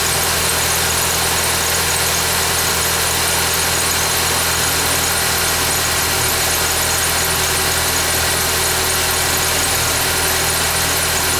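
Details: 2011 Ford Fiesta with only 10,000 km, started cold: the engine idles with a thin, high hiss and squeal over the motor; the source is not identified.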